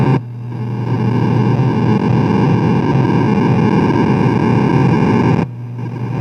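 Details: Williams Space Shuttle pinball machine showing CPU board error code 8: a loud, constant hiss and buzz for five seconds cuts off sharply, with no game sounds. The sound system is faulty.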